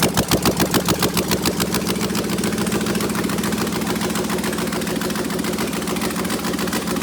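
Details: 6LDBW engine (Arthur04), open with no headers, mass airflow sensor unconnected so running open loop, old thin oil, about 36 psi oil pressure settling to 32–33 at idle; fires right up into a steady, even, loud idle with no knock, tick or miss.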